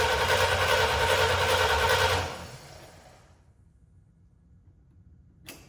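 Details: C65 dump truck after 10 years' storage, replacement engine retimed, firing order checked and HEI contacts polished. Even starter cranking at about 200 per minute for two seconds, never catching. Crank, no start; the carburetor was later removed.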